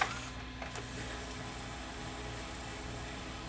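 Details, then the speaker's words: Panasonic PV4361 VCR (1993, OmniVision) after repair, testing all modes: steady soft motor whir with a light mechanical hum and no grinding or squeal, rewinding smoothly. "Looks like it's rewinding."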